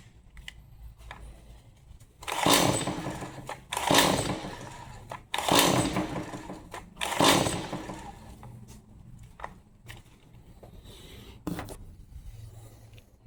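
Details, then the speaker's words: Stihl MS 180 C chainsaw brought in as a no-start, new spark plug fitted, unchoked: four rasping pull-cord strokes with no pop or catch; no sign of firing; fuel swap to premium mix next. "Not even a an inkling of wanting to fire."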